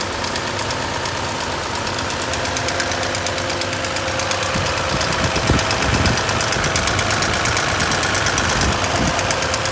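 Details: Sharp, light, even ticking of about three a second over the idle, from excess valve clearance tapping in the valvetrain: abnormal valve lash noise.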